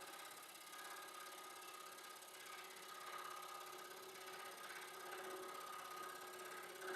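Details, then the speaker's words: Scroll saw cutting hardwood slowly: fast, rough rattling buzz as the dull blade chatters instead of slicing cleanly; blade due for replacement. "yeah you can hear the chattering of the blade cuz it's so"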